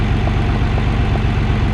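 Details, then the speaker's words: Nissan 300ZX Twin Turbo just after replacing damaged rear ignition coil, cold start in warm-up open loop mode: loud, even low rumble with steady firing beat, no misfire stumble; normal cold idle. "Wow, so that's actually quite nice. I know it's still in the cold warm-up open loop mode, but"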